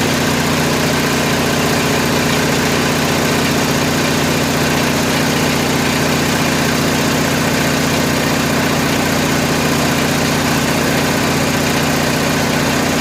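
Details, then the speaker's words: Kohler 7000 W RV generator in a GM PD4106 bus conversion, revived after Seafoam in the fuel, carburetor not yet cleaned: steady, even drone holding constant 1800 rpm with no misses, surges or knocks; runs smooth. "all right sounds good looks good good old crawler 1800 rpm"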